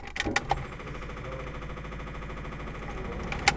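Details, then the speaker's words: Datsun pickup with freshly rebuilt, fully disassembled engine, first battery hookup: faint, fast, even ticking with engine off and a couple of clunks; electric fuel pump priming the lines, after which a fuel leak was found. "I'll do it once over underneath. Sounds like fuel pump."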